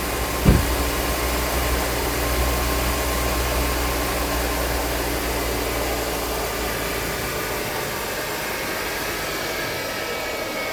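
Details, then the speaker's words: 2011 Mercedes-Benz W212 E350 V6 after serpentine belt tensioner replacement (the worn tensioner sat off plane, so the belt rubbed a pulley): quick start and a smooth, even idle with no chirp or squeal. The belt noise is gone. "Okay, so it looks like that was the issue. The tensioner was off the plane."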